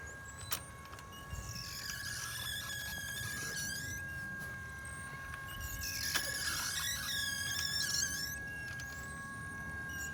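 Steady motor whine with loud squealing bursts every few seconds as the wobble jerks back and forth; loose upper rack.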